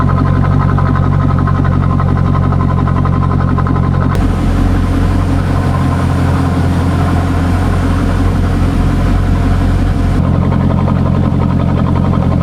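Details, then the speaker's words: C5 Corvette V8 idling on a lift with exhaust disconnected before the mufflers: loud, deep, raw blatting bark with no smoothing, too unrefined, like open headers; owner plans to bolt it back up. "Just being totally honest, that's a little bit too much bark for what this is. Okay, so I don't really, it just didn't quite sound the way I'd liked. It sounded too unrefined, really."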